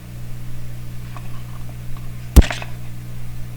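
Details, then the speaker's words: Constant low mains buzz with one sharp click, heard through the audio hookup while checking IF alignment on a Sparton 1567 tube radio. Owner says it is not the radio and does not know exactly what causes it. "humming tape so I don't know exactly what's causing the home but it's not the radio here"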